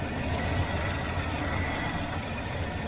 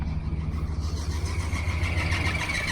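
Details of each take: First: 1981 Silverado after replacing warped harmonic balancer/pulley to fix belt squawk and adjusting timing: even low V8 rumble, no squawk or chirp; normal idle. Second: 1981 Chevrolet Silverado V8 just after start: high squawking chirp over the low rumble, climbing slightly in pitch, harmonic balancer visibly wobbling. A belt is slipping on a faulty pulley; AC compressor or alternator is suspected.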